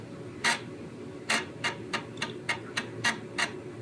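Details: Commodore Amiga 600HD booting from floppy: sharp, uneven clicks about once a second with quiet gaps; the floppy drive head stepping normally while it loads.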